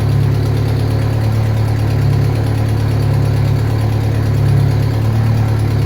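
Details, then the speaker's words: Turbocharged car just reassembled after a head rebuild, first start, boost controller plumbed: rough deep idle with a loud puffing chuff and uneven low rumble; owner suspects a bad exhaust leak, probably the ungasketed downpipe, plus other bad gaskets. "It sounds like it's got some terrible exhaust leak up here, back here somewhere. I'm not sure exactly where it's at. Probably downpipe."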